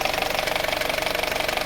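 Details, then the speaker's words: 2018 Honda WR-V at idle: fine, quick tapping over an even idle with injector clatter, light hammer-like tick from a worn belt tensioner. "aqui vocês podem perceber eu não sei se vocês vão conseguir perceber bem o barulho mas tem um batidinho fino como se fosse um"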